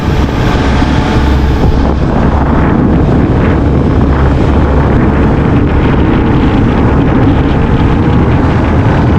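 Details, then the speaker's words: Cox 300 hp V8 twin-turbo diesel outboard on patrol demo boat, sea trial at slow speed with slight throttle: deep even diesel drone under wind buffeting, no knocks or roughness; normal running. "kita jalan pelan-pelan yaah halus ya suaranya kita coba gas sikit ya"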